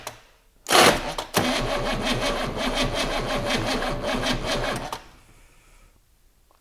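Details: GMC 6.2 V8 diesel, unstarted for 15–20 years: slow, labored cranking pulses drag on about four seconds and never catch; cranking too slow to start, battery suspected.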